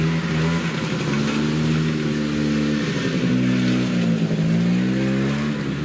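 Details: Yamaha Bravo 250 two-stroke snowmobile with Keegan carburetor, after carb cleaning and refitting (previously bogged once warm): revs up cleanly and holds steady, pitch rising and falling with throttle without stumbling; runs healthy.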